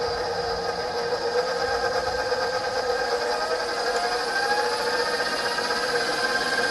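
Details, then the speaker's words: KitchenAid 6-quart mixer after replacing speed control board 9706648: smooth motor whine climbing in pitch, clicking through every speed, which it wasn't doing before; no grinding or stalling, runs normally. "You can hear it click through every speed, which it wasn't doing before."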